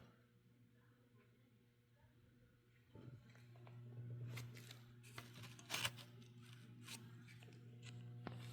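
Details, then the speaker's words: 1953/54 RCA 6RF9 AM/FM tube table radio, powered up through a 68 W light-bulb limiter: a low steady hum rises from the speaker and holds under handling clicks, a normal power-supply hum showing the speaker coil is not open. "I do hear humming from the speaker. That's a good sign that the speaker's not open."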